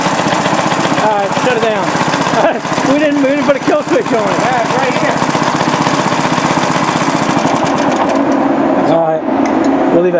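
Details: Restored rare Briggs & Stratton NR6 6:1 gear reduction single-cylinder engine, first run after restoration with a cooling fan blowing: quick even popping at constant speed, no misses or clatter; runs healthy.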